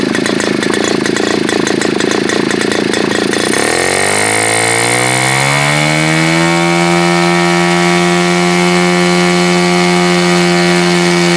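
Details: Super Tigre G4500 glow engine, hand started, first run on a stand: rough spluttering start for a few seconds, then clears into a clean, steady high-pitched buzz; needs throttle raised slowly, running well.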